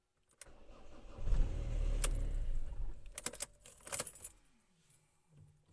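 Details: Ford diesel, cold start: keys rattle, then engine cranks heavily for a couple of seconds and dies without catching; hard cold starting, starts on third attempt, cause unknown.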